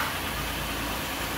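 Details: 2002 Oldsmobile Silhouette after water pump replacement, started up to warm up and bleed the cooling system: smooth, even idle with a steady low hum and no knocks, ticks or squeal; engine running normally.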